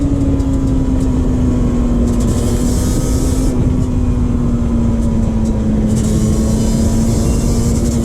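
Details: 2001 Yamaha Banshee 350 two-stroke cruising on a POV ride with early shifts, after new clamps fixed an exhaust leak. Loud crisp buzz under load eases slowly as revs settle, no puffing or popping; performs better, normal sealed exhaust.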